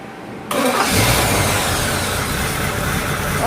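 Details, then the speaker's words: GTO V8 after cam break-in, timing at about six degrees, during valve adjustment with a noise suspected on this side. It runs smoothly and evenly with no top-end tapping; the valvetrain is nice and quiet. "look at that it's nice and quiet oh wow is that quiet there we go"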